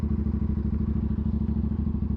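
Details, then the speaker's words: Aprilia RS457 twin, first batch, about 26,000 km, after timing chain tensioner replacement: even idle with steady thumping and only a soft regular valve tick, no chain rattle; clicking reduced versus the earlier loose-chain sound, normal. "Ni bunyi ni bunyi standard ah. Bunyi valve valve dia. Dia tak seteruk sebelum ni."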